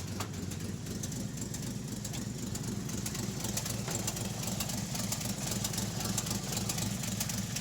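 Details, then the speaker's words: REO M-35 truck with blown head gasket, engine still cold on choke: lumpy idle, three or four cylinders fire then a gap, skipping at least one cylinder, probably more; warm it would not idle without blipping throttle. "You can already hear in just that little section there, you can hear it skipping at least one cylinder, but probably more than one. It's like because the three or four cylinders fire, do do do, and then there's a pause where there should be another cylinder firing, but they aren't firing."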